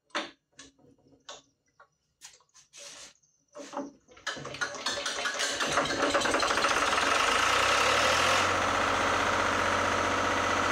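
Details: Lister diesel generator started after fuel system plumbing and filter leak fix; a few cranking bursts, then it catches and settles into a steady, even diesel beat with no misses or knocks.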